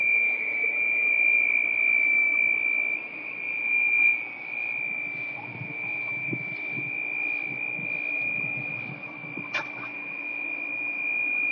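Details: Holland Pools pool equipment: steady piercing whistle holding one high pitch over a faint low hum; squeal source unknown, owner unsure where it comes from.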